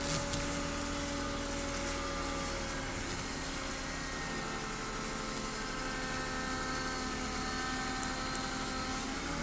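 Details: BMW E36 320i with a new MAPCO power steering pump, fluid changed several times: thin, steady whine over the running engine that increases during steering; pump still whining.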